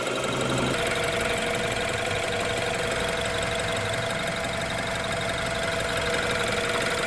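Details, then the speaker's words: 2016 BMW X3 2.0-liter turbo four, idling before engine oil flush and oil change: loud steady warm idle, constant high whine over an even hum, no knocking; smooth. "Now all we do is just let her idle for 15 minutes. Guys, I just want you to hear what it sounds like before we change it. This is before we do the flush."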